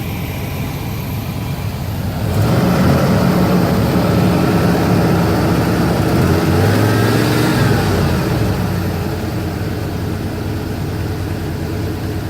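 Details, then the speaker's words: 1989 Avanti convertible engine, repeat attempt at an earlier stuttering problem: after starting it jumps to an awful high, slightly uneven idle, feels a little shaky, then slowly starts coming down; owner expects the same problem to return; high idle, cause unknown. "It does idle awful high. I hear it starting to come down a little. I think it's going to do the same crap."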